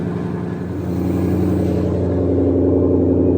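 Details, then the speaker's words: 2020-2022 Shelby GT500 V8 idling warm-up after PCM replacement, Ford calibration flash and crankshaft variation relearn (P0315), waiting for engine temp above 176 degrees; steady, even rumbling idle swelling slightly, no stumble or miss, sounds healthy. "Okay. Sounds healthy."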